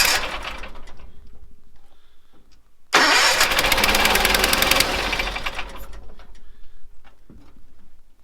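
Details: 1970s Bolens QT16 tractor that had been sitting a long while, fuel line reconnected and gravity-feeding the carburetor, charged battery: a couple of seconds of steady cranking with no firing. It cranks but won't start; the cause is suspected but unconfirmed.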